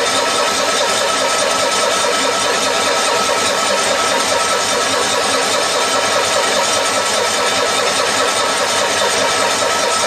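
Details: 1974 Cushman Truckster Haulster cold start after a rewiring job, mechanical fuel pump with a dry carburetor: steady starter churn for the whole stretch with no firing; cranks long without starting, likely fuel-starved.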